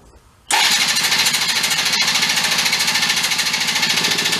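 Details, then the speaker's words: Benelli Andretti Z50 two-stroke scooter, 500 miles, long stored, after priming and feeding fuel while cranking: rapid, even starter chatter about three and a half beats a second, never catching. Owner suspects an oil-filled crankcase or a damaged top end. "so yeah so something else is going on uh either the crankcase is just really full of oil and it's pumping all that out or maybe something happened to the top end where it's uh possibly grenaded itself a little bit"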